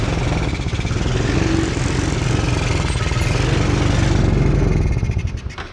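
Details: Hard-starting 125cc Chinese kids' ATV, carb adjusted (screw at four turns) for possible fuel starvation, old spark plug still in: chugs unevenly with a ragged misfiring beat, then sags and quits; rough running from worn spark plug.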